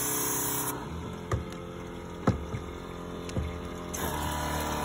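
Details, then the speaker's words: Waxie Versa pump during preventative maintenance, restarted with the filter off temporarily: steady even pump hum with rushing water and light clicks; low pressure is what's expected, checking for flow; normal pump flow. "there's our low pressure that's what we should be seeing so I'm looking for flow"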